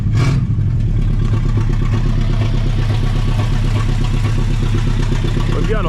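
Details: 1960 Pontiac Ventura, base 2-barrel 389 V8 with automatic, first start after 24 years parked with no parts changed: a loud lumpy idle with an uneven beat and an occasional exhaust pop; misfire from a dead cylinder.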